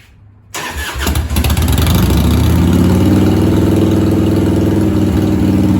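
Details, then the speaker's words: 1997 Harley-Davidson Heritage Softail Classic, 80-inch Evo, just fitted with a new S&S Super E carb, battery and ignition; it cranks, catches and holds a fast, steady idle. The carb idle screw is set about half a turn too high. "As you can see, I got a very high idle, so I have to adjust it. See if I can get it down a little bit."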